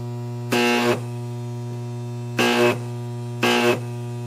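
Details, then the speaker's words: Large deshunted microwave oven transformer under load: steady mains hum broken by three harsh crackling bursts, like a taser inside; sparking from the secondary to the core or similar, which can lead to arc-overs. "okay that's not a pleasant sound it sounds like there's a taser inside there just sparking and I do know that sound that sound means there's sparking from either the secondary to the core or you name it"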